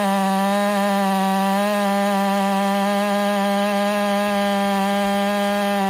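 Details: Ported Husqvarna 385 chainsaw during break-in, tune left slightly rich with a little top-end burble, cutting very hard hillside oak: high steady buzz holding pitch without bogging or surging; normal under load.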